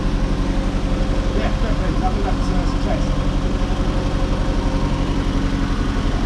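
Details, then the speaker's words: Mazda MX-5 NA / Eunos Roadster engine just after a valve cover gasket replacement: low, smooth idle with an even beat near four pulses per second and no ticking or misses; sounded better immediately after the repair. "yeah it started up it sounded a lot better straight away as soon as it started"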